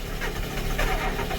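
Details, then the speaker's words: Fendt 720 tractor diesel in cold weather, glow plugs used: low, labouring churn as starter keeps turning while engine fires unevenly and won't catch cleanly; hard cold start. "this tractor does not like the cold try it again oh boy come on come on come on come on come on i'm just kind of running off the starter here come on come on come on"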